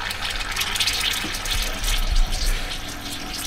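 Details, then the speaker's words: Very old central heating boiler, pump being bled with bleed key while waiting for temperature: gurgling, rushing water and uneven low churning from the pump as trapped air works out through the bleed. Pump airlock. "you can hear the pump making different noises so we're just waiting till we get a bit of temperature"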